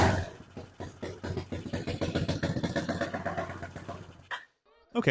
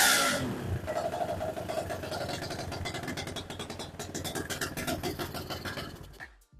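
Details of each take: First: BSE J10 single-cylinder dirt bike with low compression, weak battery and non-working decompressor, just started: uneven, lumpy chugging that never climbs; engine runs but won't build revs, cause not yet found. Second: BSE J10 dirt bike after repairs, tank refitted, not yet warmed up, carb still needing tweaking: revs climb and settle in quick rises with no bogging or hesitation; normal revving.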